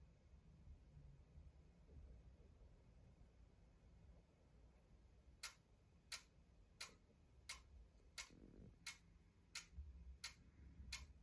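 Sharp, even clicks about 87 a minute over a quiet room hiss; an unexplained periodic click while the machine sleeps.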